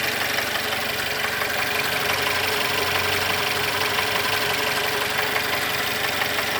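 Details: Mercedes M274.920 engine at idle: fast, fairly even knock about three per second over a busy, clattery idle; connecting rod knock.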